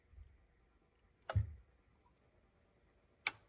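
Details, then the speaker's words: Revox B710 cassette deck after tape transport restoration: two crisp single clicks about two seconds apart as the output relay pulls in; now both channels work. Normal output relay click. "here you hear this relay and now both channels works"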